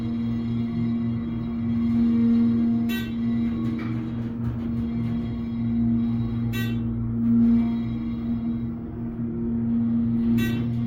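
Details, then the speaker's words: Schindler (originally Dover) hydraulic parking elevator serving floors 1-6: steady low hum with a clear fixed tone from the pump motor; possibly low on oil, unconfirmed. "Sounds like we might be low on oil soon."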